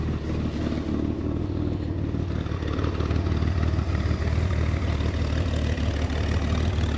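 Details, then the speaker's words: 1966 Chevrolet Corvair Monza convertible, air-cooled six idling in neutral right after a clean start: even, low rumbling idle with a steady beat and no knocks or misses; purrs and runs smoothly. "ouais ça ronronne bien comme on dit ça tourne rond"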